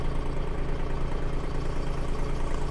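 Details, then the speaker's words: 2nd-gen Toyota Tacoma, 255k miles, just started: low, lumpy idle with uneven pulses and dropped beats, truck shaking all over, blinking check engine light for misfire; dealer found nothing, owner about to replace ignition coils. "shaking all over the place sounds like heck I have a blinking check engine light right now for misfire"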